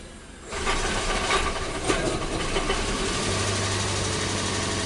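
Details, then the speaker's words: 2012 Toyota Prius C (Aqua) hybrid with code P0560 that would not enter ready mode; after replacing the fuse it goes into ready mode and the engine catches after half a second, settling into a steady, even idle with no misses. "okay so I got the vehicle up and running I mean it can be that simple as replacing the fuse"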